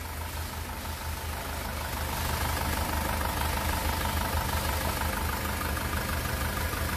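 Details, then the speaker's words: 2018 SsangYong Rexton Sports diesel, 119,174 km, after rebuild of engine whose broken crankshaft cap bolt holed the block and melted No.1 piston: settled idle with light even clatter, no shake or knock, healthy. "엔진 떨림도 없고요 소리도 잔잔 합니다"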